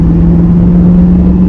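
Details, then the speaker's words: 2002 Chevrolet Camaro Z28 LS1 automatic on road, window down: engine drones at steady high revs without pulling, automatic transmission slipping, owner reports no second gear. "but I don't know if y'all was able to hear that it was like revving it wasn't like going"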